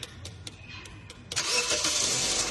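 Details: 2006 Toyota Corolla with a no-start, no-crank fault, clip at the starter: a few sharp clicks, then the starter catches and the engine fires and settles into an even run.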